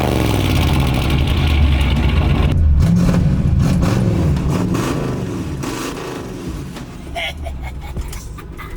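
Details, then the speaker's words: 1963 Buick LeSabre 4-door, old 401 cubic inch V8 on straight pipes: a loud, deep rumble, steady and even as it settles into a lumpy idle, a normal, healthy start and run. "Give these straight pipes a listen. Yeah, there. That sounds nice. An old 401 cubic inch V8. They sound pretty good."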